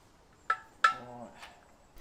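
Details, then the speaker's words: BMW 318d N47 diesel, engine out, while removing the clutch: two short metallic clicks with a brief ringing tail in a quiet workshop; the owner thinks the self-adjusting clutch ratcheted a couple of notches. "now did you hear them two little clicks just then I think that was the self adjusting clutch ramping up a couple of notches"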